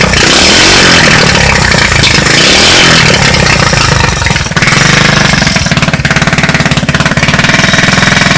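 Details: Street-legal go kart that sat 5 years, first start on a new carburetor with a temporary push-mower fuel tank: a loud small single-cylinder pops along, revving up and settling with a quick steady firing beat; normal running.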